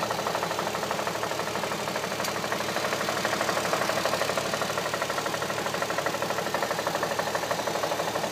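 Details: 2007 Audi A3 3.2 at steady idle: light, even tapping about three times a second over the hum, an engine knock from inside the engine.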